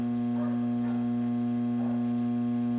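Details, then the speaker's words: 1966 Ampeg J12D Jet tube amp at power-up after electrolytic capacitor and 3-wire cord replacement, during bias check: steady buzzy 60-cycle mains hum with a brief crackle at the end. "getting a 60 cycle hum which isn't good"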